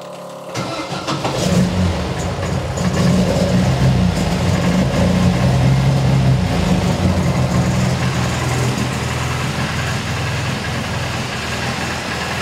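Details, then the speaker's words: MGB GT after fixing the Lumenition electronic ignition module, only basic static timing set: catches within a second, swells briefly, then settles to an even steady idle; normal start. "that was a very quick start and honestly I didn't do nothing else on the basic static alignment"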